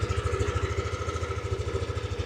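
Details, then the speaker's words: 2022 Yamaha Aerox Top model scooter, stock engine and exhaust, about 15,000 km: quiet, even putter at idle, about ten pulses a second, no misses, rattles or white smoke; normal idle. "เสียงเงียบๆนะครับเดินเบาอะไรต่างๆยังนิ่งอยู่เลยนะครับผม"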